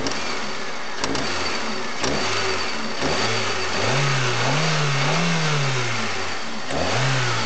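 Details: Chery Amulet engine knocks sharply about once a second on each quick blip of revs; owner also reports excess vibration at idle and the oil pressure lamp sometimes lighting at idle once warm; cause unknown.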